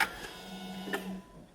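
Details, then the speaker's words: Smart car being readied for first start with ECU and fuel pump reconnected, battery low: on unlock, a click and then a short low hum for about a second as the in-tank fuel pump primes normally. "ooh so that was a different noise that definitely sounded like the fuel pump turned on there for sure oo do you hear that so that is definitely the fuel pump working"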